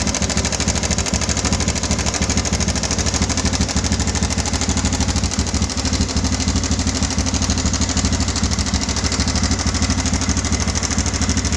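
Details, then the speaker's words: Yamaha Bison modified bobber at idle, before repair: loud, harsh metallic clatter; owner feared connecting rod or internal damage needing engine rebuild, but cause was a faulty cam chain tensioner letting the chain slap. "Oke, itu suaranya mengerikan sekali, dan si konsumen motor ini dia sudah agak berpikir, dikira itu suara di bagian stang seher atau di bagian dalamnya."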